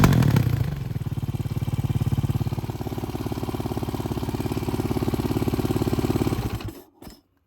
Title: KTM EXC 530 2010 backfiring and noise from engine.